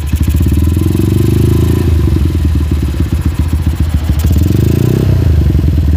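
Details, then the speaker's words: Honda GL motorcycle, carburettor not yet adjusted: the single cylinder revs up, then slowly sags back rather than dropping cleanly to idle; slow return to idle after revving, cause not confirmed. "dia itu habisnya habisnya gas itu lambat banget ya kita perhatikan"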